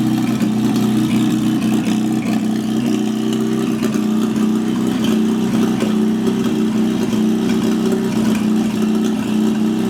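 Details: GAZ-69 first drive after rebuilt engine, gearbox and transfer case: steady, even low engine hum at idle with only slight rise and fall, no knocks or misses; idling smoothly.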